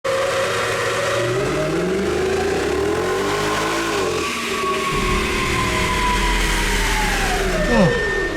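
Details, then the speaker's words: 2007 Mercedes E63 wagon, hand-assembled 6.2-liter V8, 204,000 miles, on the dyno at full throttle: smooth, even roar climbing steadily in pitch, then dropping as the throttle closes; healthy pull, engine held together but the check engine light came on. "it didn't blow up, but the check engine light came on. Sounds good. Sounded good."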